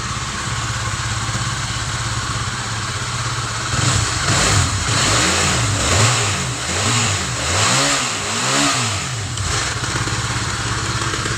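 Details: Honda CB150 (old) motorcycle engine after full rebuild for a seized piston rod, cylinder head cover and radiator refitted: even idle, a few quick throttle blips, then steady idle.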